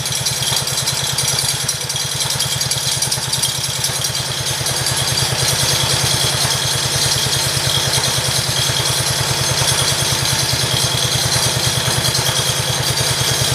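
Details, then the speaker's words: 1968 John Deere 110 tractor, first start since engine installed; steady, fairly even small-engine putter with a light rattle on top, stiff throttle; owner suspects earlier trouble was fuel reaching the carburetor; healthy idle. "yeah i'd say it runs pretty good"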